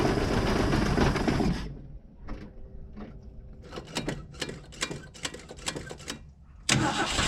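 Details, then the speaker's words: Mercury Comet barn find, cold start at 37°F after fuel line work: a brief loud burst, then only scattered clicks and weak cranking chatter with no firing. The fuel hasn't been picked up yet, so cranks with no start. "go all right it hasn't quite picked up gas yet I'm going to give it uh a little bit too much try to get down the vent tube"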